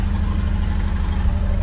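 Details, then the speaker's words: Wrecked Ford project truck with a 7.3 Powerstroke diesel, still smoking: heavy, lumpy, uneven idle; under throttle it seems not to fire on all cylinders. Owner suspects a hole in one exhaust manifold; cause unconfirmed. Rough idle. "it uh something motor-wise doesn't seem 100% don't sound bad for a 73. I mean, it sounds like a 73. Old rusty trusty Knocky 73, but when you give it throttle, it sounds like it's not hitting on all cylinders."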